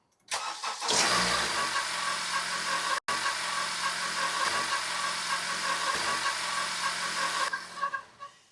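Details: 2015 Honda CR-V 4-cylinder, before belt replacement: the engine catches and idles with a thin, chirpy squeal that doesn't clear. Worn serpentine belt.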